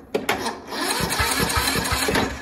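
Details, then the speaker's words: Sears Craftsman tractor, Briggs & Stratton single-cylinder OHV engine, crank-no-start, battery 12.09 V: a couple of clicks then labored cranking at roughly four to five turns a second that never catches as battery drops; slow cranking from weak battery. "let's see the cranks break on okay it does crank very uh battery's going low now"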